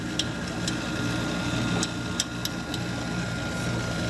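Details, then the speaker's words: GE dishwasher that made a loud motor noise, after the motor was replaced and a new stainless braided water line fitted: even, steady pump whir with faint constant tone and light water clicks; normal motor running. "sounds a lot better already"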